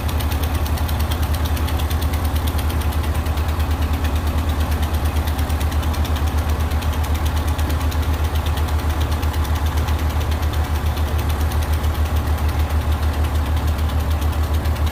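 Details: Old Ford tractor converted to 12 volts, battery charged after sitting (owner suspects the alternator isn't working), idles with a low, even throb, steady rhythm and no knocks or misses; it runs smoothly.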